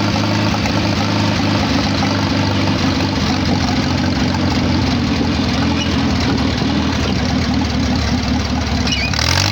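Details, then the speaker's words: Farmall H tractor with new proper exhaust pipe and rebuilt carburetor, no longer leaking, fresh oil: even, steady low chug, no misses or knocks, clean exhaust note. Normal idle. "so yeah that's what she sounds like now that i rebuilt the carburetor i don't have to worry about running the carburetor out of gas so it don't leak anymore which is nice"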